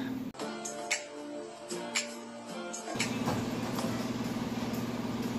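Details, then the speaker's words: 2008 Ford Escape after replacing holed muffler that caused exhaust leak: engine starts and idles with a steady, muted note, no blowing or rasp; quiet, normal exhaust after repair. "so let's fire back up fired up here now the muffler is quiet"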